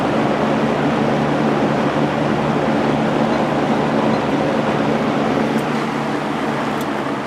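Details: Lakewood P223 first-generation fan with Westinghouse motor, after oiling and cleaning with blade and grills washed and refitted, running on high: steady, even whoosh and hum with no rattle, tick or scrape; fan runs smoothly and healthy.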